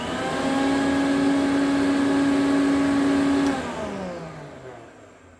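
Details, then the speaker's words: 1972 Electrolux Z500 vacuum cleaner, 425 W motor after clean-up: steady, even motor tone, then a smooth pitch glide down to silence after switch-off with no growl; the earlier growl was thought to come from a tight armature and spindle. "running so there's a smooth motor wind down now CU it used to grow a bit I think it was just a bit tight the um the Armature and the spindle"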